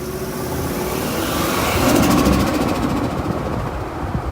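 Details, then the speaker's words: Turbo Ford F150: engine rev with a rising rush of air, then a rapid fluttering hiss on lift-off; blow-off valve leaking because its sealing disc unscrewed from its post, leaving nothing to seal against. "If you guys remember way back, my blow-off valve started making a different noise."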